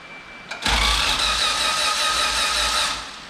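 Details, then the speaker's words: Built LSV engine in a Honda EF hatch after a Monotech harness install, cranked with spark plugs and injectors out and distributor unplugged to build oil pressure; fast, even whirring crank, no firing, smoothing out as oil pressure builds. "we're going to crank it get oil pressure and then we're going to put everything back up and give it a go"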